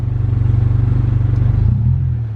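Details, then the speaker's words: Stock 2000 Honda Civic, stock injectors and fuel pump, running E85 it isn't built for, AFR climbing to 18 before stalling; low, lumpy idle with uneven pulses that sag and stumble, barely revs, very low power. Lean misfire from E85. "not happy though on a flipside it did only take $20 to fill up [Music] car stalled [Music] it barely wants to rev it's really low on power right now yeah it's not uh it's not running very good"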